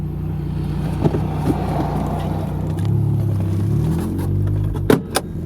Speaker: As you can tell, no misfire.